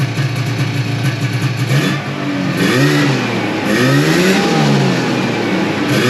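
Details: 1995 Yamaha Phazer II two-stroke snowmobile started after sitting five years, on choke, track off the ground; crisp note rising and falling with throttle blips, clean with no misfire or knock; normal running.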